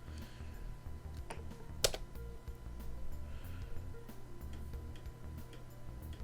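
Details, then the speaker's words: Thrift-store PC dated May 2000, booting Windows 95 startup disk: low buzzy stepping chatter rising and falling for several seconds as floppy head sweeps back and forth; normal floppy drive seek test at boot. "You can hear it doing the seek test."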